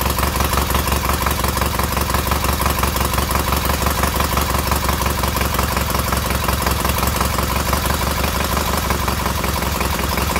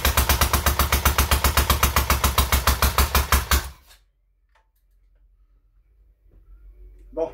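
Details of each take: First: Newly rebuilt K750 boxer twin engine idling after ignition fault fixed; strong even low thump, both cylinders working and warming equally, no stumbles. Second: Freshly rebuilt K750 engine at first start-up: uneven, lumpy low-speed chuffing for under four seconds then dies; only one cylinder firing, owner suspects spark plugs; engine itself quiet, only exhaust noisy.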